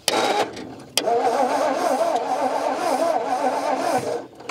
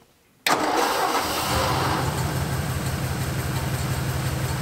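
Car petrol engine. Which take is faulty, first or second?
first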